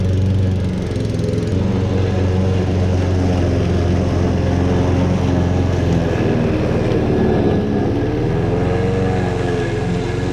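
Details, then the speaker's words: Lawn mower that ran worse than before, after new NGK copper spark plug and carburetor/intake cleaner spray, smoking at first start: steady quick single-cylinder drone, pitch even with slight wavering; starts and runs much better, normal running. "yep it definitely started better and it definitely runs a lot better now"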